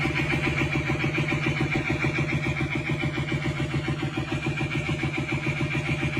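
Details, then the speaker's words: KTM 390 single-cylinder engine rebuilt after full flooding (seized rod, scored crank journal), first start after rebuild, automatic decompression valve: steady, even tractor-like thumping idle with no knocks or misses; healthy. "The sound of a big single... ...is pretty much identical to a tractor."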